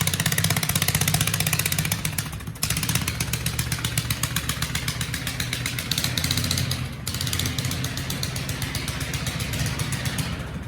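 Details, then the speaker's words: 20HP Kohler lawn-tractor engine in a minibike, revived after 15 years of sitting, with a shortened open exhaust; on a cold start it gives a loud, rowdy idle with a fast, even beat and steady low rumble, no misses; normal cold start and idle. "she's she's a little rowdy just a little bit she sounds very pretty"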